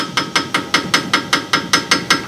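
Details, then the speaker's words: 2003 Ford Ranger sway bar end link with its bushing totally gone, shaken by hand: sharp metallic clacks about five per second, the rattle heard going down the road; fix is a bushing kit with new rod and nut. "that's what they're hearing going down the road i've got a little bit of bushing left so it's probably not rattling this bad but this uh this one's totally gone"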